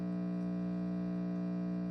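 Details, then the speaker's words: DIY tube preamp at full volume powered by a noisy wall-mounted supply: steady low buzzing hum with stacked even tones from 120 Hz ripple. "Okay, this is the noisy supply. And you can hear it already."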